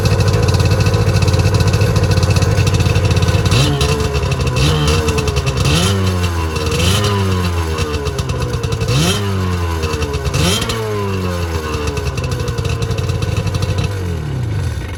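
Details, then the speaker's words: Auction Waverunner two-stroke with rebuilt motor, borrowed battery and old fuel: crisp idle, then repeated quick throttle blips rising and falling cleanly without stumbling or misfire; runs strong. "So I rebuilt the motor that I didn't really have to, but it runs really good, so it was good to do it."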